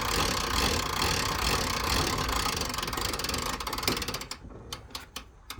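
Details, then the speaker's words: 1980s Jayco pop-top camper roof wound up with the winder: steady clatter with fast ratchet ticks about two per second, easing to separate clicks; clicking means it's going up, normal. "so you can hear the clicking that means it's going up it doesn't click when it's coming down"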